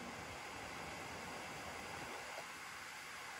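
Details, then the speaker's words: HP Victus 15 laptop with i5-13500H and RTX 4050, CPU stressed to 100% at 97 °C, fan manually set to maximum: even, steady airy rush with no ticking or rattle; normal full-speed fan, though auto mode never reaches this speed. "buradan fanı maksimum alıyorum bakın olması gereken ses bu"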